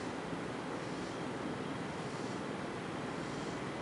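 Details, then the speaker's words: 1990 FASCO Charleston 5-blade ceiling fan, thrift-store find, cleaned of heavy grease, running on high: steady, even rush of air with no ticks, wobble or grinding; it runs well and moves a lot of air. "But it's a good running fan. Moves a lot of air."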